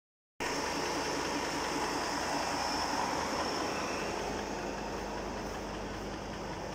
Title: Phaeton V10 knocking noise